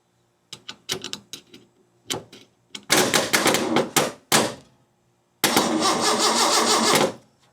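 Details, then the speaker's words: Freshly rebuilt 300 inline-six in a 1984 Ford F150 at first start: repeated bursts of slow cranking with no firing; the owner suspects no spark or fuel. It turned out the key was not switched on. "Um I need to check spark, I suppose. Because it don't sound like it's firing. No spark. Classic."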